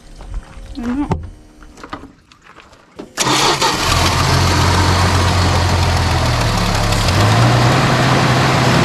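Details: 1973 Dodge Dart Swinger, 225 slant six, first start after 29 years locked up: quiet cranking, then it fires and settles into a steady, even idle with no misses or knocks, running on fuel fed to the carburetor; healthy.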